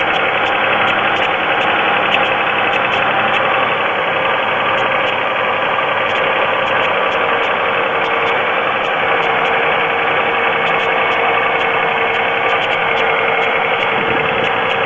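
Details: Pontiac 3.4L GM V6 idling, oil level full: fast steady ticking at constant rate over even idle; owner suspects piston slap, unconfirmed; noise reportedly stops completely later on.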